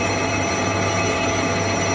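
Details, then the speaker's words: Toyota Corolla E150 1.6 VVT-i front brake disc being skimmed on a lathe to remove the worn edge lip and stop squeaking instead of replacing the discs. Steady, even ringing whine with a constant cutting tone and no chatter. "І щоб не міняти самі тормозні диски, бо вони дуже дорого коштують, їх можна проточити, тобто зняти отут трошечки кайомочки, щоб не скрипіли і і зробити з них як новенькі ще поїздять."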